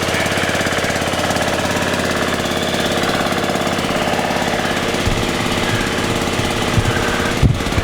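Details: Scrapped riding mower, found running and mowing, with forward/reverse drive: small single-cylinder engine runs with a fast, steady chatter, no knock or miss; normal running.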